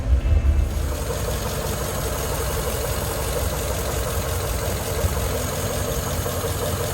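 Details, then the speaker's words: 1941 Ford truck flathead V8, first run after about six years sitting, after cleaning positive-ground wiring connections; steady, even low idle rumble with no knocks or misses, responsive to throttle blips. "I'm impressed with this flathead Ford V8 it runs better than that old 68 Ford sitting out there responsive"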